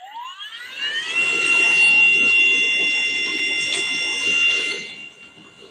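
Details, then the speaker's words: Mellif pole drainage pump, running with the hose straightened of its knot: pitch rises quickly then holds a steady high whine with no load change; not building pressure, only a little dribble of water coming out. "So it's not pressuring up. Looks like we might have water coming out soon. I can hear it all the way up the ladder here. Oh, start having a little dribble."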